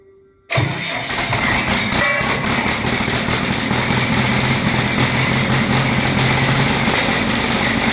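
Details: JCB diesel engine fires up and settles into a rough, uneven run: an engine misfire.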